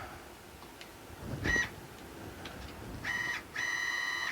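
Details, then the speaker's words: Stepper motors under LinuxCNC with a TurboCNC-style configuration via printer port, jogging toward 120 inches per minute: clean steady whine in short even runs starting and stopping crisply, no stutter or grinding; smooth motion. "And we got homing working here too, I think. You can already hear how nice it sounds, I think anyway."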